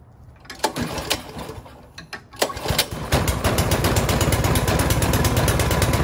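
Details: Snow blower, choke set, carburettor primed with three or four primer presses, pull-started: a few uneven pulls and coughs, then it catches and settles into a steady, even putter of about three beats per second; normal start and idle.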